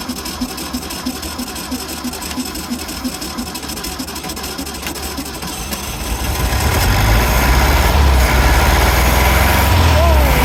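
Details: 1964 VW Beetle stored since the late '80s or early '90s, first start on fuel poured into the carburetor: quiet uneven chuffing, then catches into a loud, lumpy, unsteady idle; water leaking out, rough running after long storage.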